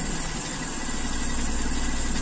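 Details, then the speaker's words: Toyota Kijang Super carburettor engine, warm after running a while following the air-leak repair: smooth, even low idle with no hunting, misses or surging; idle holds steady and healthy. "setelah kita pakai agak lama panas insyaah masih oke ya stasionernya"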